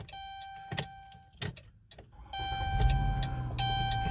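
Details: Chrysler/Dodge Grand Caravan that only starts sometimes: a few sharp clicks with each key turn and no cranking follows. Power is reaching the solenoid, so the starter is suspected of failing to engage; codes still to be scanned.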